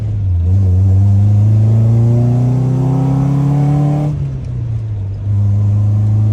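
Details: Nissan 240SX revived with a new chassis harness, running and driving after the junk Rock Auto injectors were replaced. It pulls cleanly with a smooth rising tone, then settles, with no misfire or ticking; running normally.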